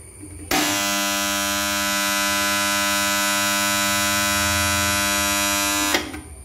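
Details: Submersible pump motor starter contactor: loud steady mains buzz for about five seconds then sharp cutoff; contactor humming noise fault being repaired.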